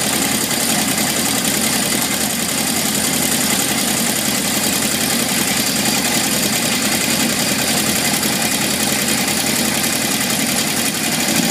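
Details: 1978 Honda CB750F, metal shavings in oil pan, low warm-idle oil pressure until engine shut off; constant metallic clatter over fast, busy idle with hiss; owner suspects crankshaft bearings, unconfirmed; engine rattle at idle.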